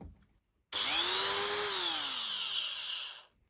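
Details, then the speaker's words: Dremel 3000 multi-tool, water-damaged with a seized shaft, after the bearing was taken apart and oiled: sharp high whine comes up to speed at once, holds steady without rattle, winds down smoothly; normal running after repair. "Let's plug it in. Right. I'd have no complaints about that, could I?"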